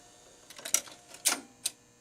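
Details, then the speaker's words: Rock-Ola 424 jukebox: two or three sharp metallic clinks as the reset hammer trips early and collapses the wobble plate switch, cutting power to the gripper arm before the needle fully drops, so the turntable stops; a bent home switch is blamed. "you hear the clink clink that was the hammer resetting the lever which collaps the wobble plate switch which means that the gripper arm isn't getting power anymore"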